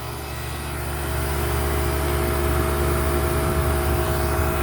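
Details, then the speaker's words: Home AC condenser fan motor, previously seized, restarted with a quick patch: smooth, steady hum building up to speed and holding evenly, no grinding or rattle; still running fine 48 hours later in 105° heat. "there it's going since day two when I reled it up I haven't had any problems with it"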